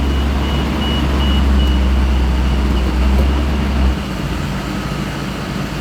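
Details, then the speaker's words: 1991 Toyota Land Cruiser, gasoline, after idle/throttle troubleshooting with throttle body clean and parts in spec, warmed up: smooth, even low rumble at a steady 750 rpm idle, idle up with AC on, no misses or hunting; idle fixed, valves still need adjusting. "sitting there idling at 750 excellent our idle is solved idling at 750 idle's up with the air conditioning turned on everything's perfect"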